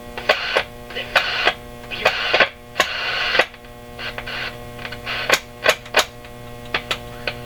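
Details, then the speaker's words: RCA Victor 911KG console radio, tuning system under test: loud, steady, buzzy hum that doesn't change with volume, with clicks and static bursts over it and a local French-language station received. Strong mains hum, possibly from tired filter capacitors. "That's a mean hum. Why are you humming so much? Kind of a buzzy hum."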